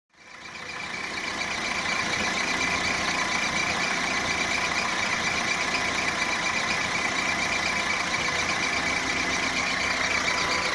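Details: 1.4 litre petrol Mark 4 Volkswagen Golf engine at idle with a steady high-pitched squeak over a smooth idle; owner suspects a drive belt pulley or the water pump, exact source unknown.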